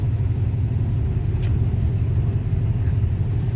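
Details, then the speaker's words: 1935 Ford Model 48 flathead V8, manual 3-speed, just started via floor push button, oil pressure up, after carb cleaned and set: deep even rumble, steady firing, no knocks, misses or ticks; healthy smooth idle. "Comes up the oil pressure. Smooth running flathead."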